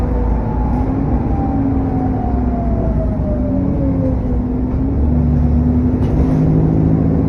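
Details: SN61 DDE E210, driving on a dead run: whistling turbo whine sliding down in pitch over a roaring cooling fan thrash; cause unknown.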